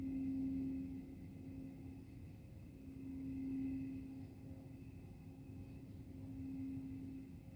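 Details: Steady low droning hum with faint higher whine over quiet outdoor background, heard from GM Milford Proving Grounds over 2 miles away; GM and township attributed it to tree crickets, which the recorder disputes.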